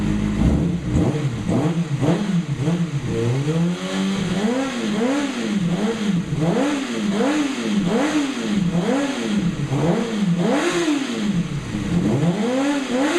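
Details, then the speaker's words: 2008 Kawasaki ZX6R inline-four first run after valve clearance shim adjustment; crisp, repeated throttle blips rising and falling smoothly, no ticking or clatter; successful, healthy engine. "Oh yeah, I love that noise. So I guess it was a success."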